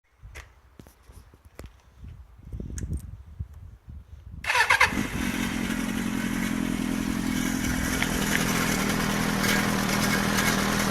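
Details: Suzuki GSX-R400 (GK73A) on its side stand: scattered clicks, then engine fires and idles loudly with a busy metallic rattle; cam chain tensioner already replaced without change, cause unknown.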